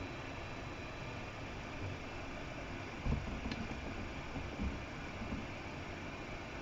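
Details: Afinia H479 3D printer in maintenance mode heating the nozzle to 260°C before extruding filament: steady soft fan hiss with a couple of faint mechanism clicks, nothing rough or grinding; running normally.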